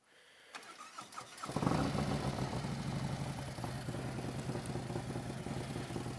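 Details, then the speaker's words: V-twin with a newly installed upgrade fires up and settles into a lumpy idle with an airy intake rush, no metallic knock; it was a false alarm, just normal intake noise. "that's the sound of air not the sound of [Music] metal"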